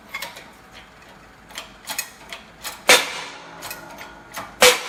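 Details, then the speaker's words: Pressing a new front wheel bearing into the knuckle of a 2001-2002 Ford Escape, press tool centered on the outer race: sharp, irregular pops and creaks about every second, no grinding; normal noise as the bearing seats tight. "Again, perfectly normal. Getting in there where it's tight, and this is where you want it to be."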